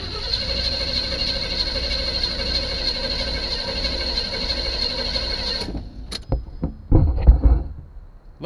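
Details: 1976 Chevy Chevelle with Edelbrock carburetor primed with gas, dash unlit: several seconds of steady cranking that never catches or fires, then stops; engine turns over but doesn't fire.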